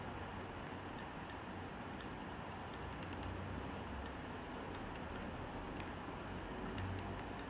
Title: Clicking noise (HDD from Dealextreme) video 2